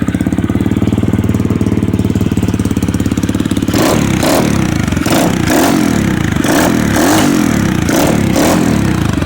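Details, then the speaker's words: Small motorcycle first start after carburetor cleaning and rebuild, new air filter, previously needing starter fluid: putters at an even idle, takes throttle blips and settles cleanly, no starter fluid needed; normal idle. "she took a little second but she's up and running no starter fluid need it iding pretty nice and good"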